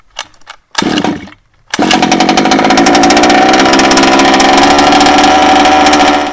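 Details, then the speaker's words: Baja two-stroke engine after clearing the flooded fuel and refitting the plug; it catches on choke, then with the choke up a couple more pulls bring a high, buzzy rev held without stumbling: normal start and run. "give it a pull hear it ignite put the choke up give it another pull"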